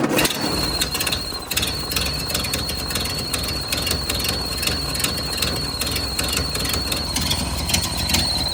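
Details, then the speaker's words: 1929 Ford Model A engine running unevenly with a steady high whistle throughout from a leaking carburetor gasket drawing in air, a vacuum leak. "That whistling sound is the carburetor gasket leaking. So, it's taking in air as well."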